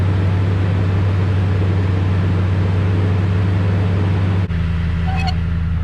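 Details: 2016 Toyota Tundra Platinum 5.7 iForce V8 on original exhaust, before Corsa 14916 install: deep, even burble with steady firing and no misses or knocks; engine sounds healthy.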